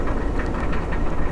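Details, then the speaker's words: Car with about 141,000 miles, sold as a broken transmission: rough idle with a loose, uneven jingling rattle over the low engine rumble, something bouncing around inside; catalytic converter problem, car also lags on hills and highway. "Now, I don't know if you guys can hear that little jankily jinging noise, like just something that's bouncing around."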